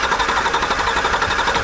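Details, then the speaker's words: 2010 Chevy truck, suspected CAN network fault or bad ECM: fast, even starter cranking that never fires while manually energizing the crank relay, because the key isn't held in crank so no start command or fuel is given. "and it doesn't so I guess that's because I'd have to have the key hold that's right I forgot about that on these computer controlled systems if I don't hold the key in the crank position it's not going to start because that command's not there"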